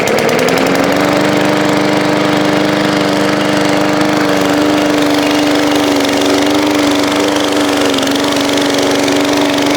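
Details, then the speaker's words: Walk-behind lawn mower engine, revived from scrap, fresh oil change, mowing grass in hot weather: steady, even single-cylinder tone under load with no misses or surging; normal running under load. "Well, I have to say that thing mowed pretty darn good."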